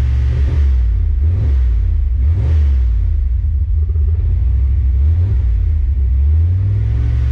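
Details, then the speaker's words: Fox body Mustang on a Holley ECU after TPS auto-set calibration: deep even rumble with clean throttle blips rising and settling smoothly; rough running fixed, runs normally. "That fixed the problem. So now the computer knows the exact throttle position on the car, and that should fix any rough runnings that we had."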